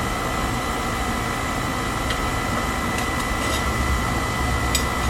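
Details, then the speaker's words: Weil McLain oil boiler with Beckett burner running after brushing, service and reassembly with new gasket: steady, even roar of burner fan and flame with constant faint hum, no pulsing or rumble; healthy, clean flame. "Alright, she's all put back together. I'm going to go ahead and fire her up now. Alright, and she's firing up good. Everything sounds healthy."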